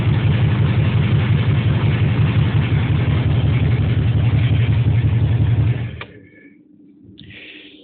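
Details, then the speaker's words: Jaguar XJS V12 after sitting about 1.5 years: deep lumpy rumble with an uneven chuffing beat, then it dies; running on only four cylinders because of a bad injector wiring harness. "okay so that sounded terrible and the reason it sounds like that is because it's a 12 cylinder running on four"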